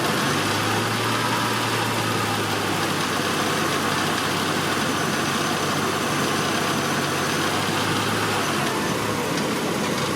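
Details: Honda Accord V6 after thermostat replacement, warming up with the heater on, radiator fans not yet cutting in: smooth, steady idle with a fan whoosh and no misses or knocks. A pulley noise that grows louder is suspected.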